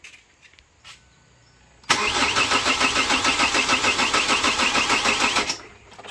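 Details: 2008 Chevrolet Captiva diesel, hard starting hot or cold, smoky, low power, rpm capped at 3000, no warning lights: starter turns evenly about three beats a second for several seconds, never catches.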